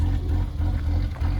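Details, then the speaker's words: Rough idle on a BMW E30 that has long run rich with black exhaust smoke, compression around 135–160 psi: low, uneven lumpy idle wavering every fraction of a second, during misfire diagnosis. "pretty close as you can see it's got a little bit of a rough idle"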